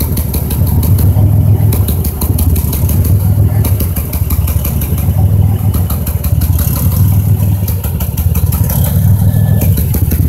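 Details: 2005 Chevrolet Impala 3800 V6 at idle, P0305 code: uneven stumbling beat, a dropped pulse every couple of seconds; cylinder 5 misfire persists after new #5 spark plug, wire and injector, cause unknown.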